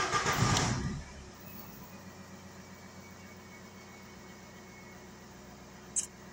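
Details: Diesel VW Golf 4 whose crank-no-start was traced to a loose battery terminal, restarted after the immobilizer had cut it: a short crank catches, then a quiet, steady, even idle with no misses. Normal idle.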